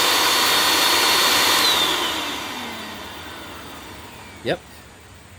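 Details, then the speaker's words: Curb-found Bissell PowerClean vacuum with clogged filters, suspected worn belt and possibly iffy bearings, airflow checked at the neck: a steady, airy high-pitched rush that spins down smoothly; healthy, with plenty of suction. "actually feels reasonably healthy plenty of airflow and suction right there on the neck"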